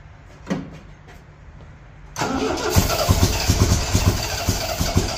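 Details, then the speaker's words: 1975 MGB project car on first start attempt: starter churns slowly, about two turns a second, never firing; battery starting to go dead; cranks but will not start, cause unconfirmed, old points found. "I mean it makes noise that's that's something oh I almost had it now then the battery's starting to go dead too"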